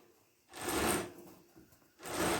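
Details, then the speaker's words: Chinese-made mini bike with long-standing chain drive trouble, chain spun by hand after adjusting both tensioners. Two short whirring, rattling spins as it runs free without binding, though tightening the nut shifts the adjustment. "i mean i it actually spin fairly good"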